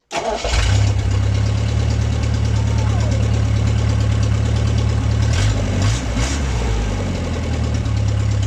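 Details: MG pulled from the woods, first start in 22 years after a new ignition switch. Catches quickly without choke and settles into a steady, even cold idle with no stumble or misfire.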